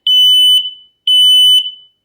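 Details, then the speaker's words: Kidde smoke/carbon monoxide alarm, test button pressed and held: two loud, shrill half-second beeps about a second apart, the unit's test tone; alarm sounding properly. "Press and hold to test and test weekly, and I think this is what mine sounds like."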